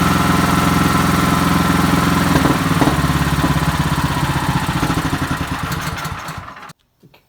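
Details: Troy-Bilt (MTD) Storm 3090 XP snow thrower, started on the electric starter without choke. The small single-cylinder engine putters at a steady, even idle, then shuts down cleanly; it runs healthy.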